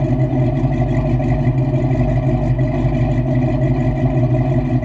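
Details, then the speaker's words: 1989 Ford Mustang Foxbody V8, manual, after a $207 fix; deep steady idle with even lope, no misses or stumbles, sounds healthy. Normal idle. "It sounds really good. She sounds good, man. I'm real happy with the car."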